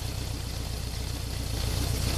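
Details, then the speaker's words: 1978 Honda CB750K warm four-cylinder idle during carb sync with a homemade manometer: a lumpy, uneven pulse with a slight beat, as the cylinder 1 reading keeps dropping; the carbs are out of sync. "as you can see number one cylinder still want to drop a little"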